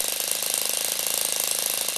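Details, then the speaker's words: Saito FA-40 four-stroke glow plug model engine, methanol/nitromethane fuel, hot while running: rapid even buzz at idle, steady with no misses; fuel level dropping fast; normal idle. "can observe the rapid decline of the fuel level - even if the motor is operating with idle speed."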